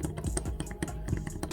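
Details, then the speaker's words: Yamaha YZ125 dirt bike, engine apart with gouged piston, crank rocked by hand: irregular light metallic clicks and clunks from up-and-down play; crank totally shot, to be replaced. Crankshaft bearing play. "the crank the crank is totally shot and I think eyes can hear that"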